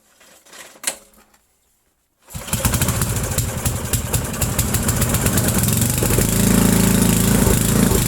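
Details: 8 hp Briggs & Stratton, pull-started after sitting about 5 years, new fuel line and filter: catches and holds a loud, fast, fairly even beat at full throttle only, no choke needed; carburetor needs cleaning.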